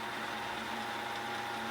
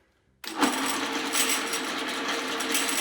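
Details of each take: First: 3000GT/Stealth 5-speed AWD manual transmission spun by a drill press in neutral on the bench, after modifying for extra clearance to keep the 3/4 slider centered: smooth steady hum, no rattles, the neutral rattle fixed. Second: Mitsubishi 3000GT/Stealth 5-speed AWD transmission on the bench with its back plate off, spun by a drill press. A busy metallic rattle over a steady whir comes from the 3-4 synchro slider not staying centered in neutral. In the car, the rattle went away with the clutch pushed in.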